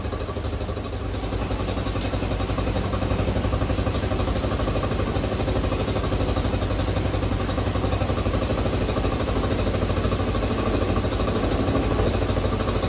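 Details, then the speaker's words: 1986 Honda CT110 after a carburetor rebuild, with the mixture screw being turned in 1/8 to 1/4 turn at a time. Steady single-cylinder idle that creeps higher as the screw goes in; engine otherwise running normally. "Okay, so we can hear it starting to rev up as I turn the screw in."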